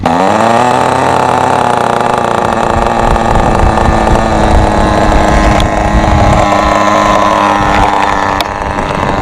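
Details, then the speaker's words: Thunder Tiger SSR 4WD nitro RC car, second hand, untuned, high-speed needle at default, freshly started cold: small nitro engine buzzes high and uneven, then fades and stalls because not at working temperature; cold engine stall. "It just turned off. That's because it is cold. It hasn't get to the working temperature, so we need to heat it up."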